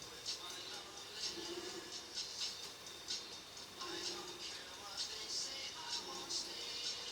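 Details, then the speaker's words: Sony TC-755 tape recorder running tape after rewind and speed checks (solenoid earlier not catching): a thin, irregular rattle of sharp ticks, about one a second, comes and goes; intermittent transport chatter, cause still to be found. "we need to look at why it chatters now and again."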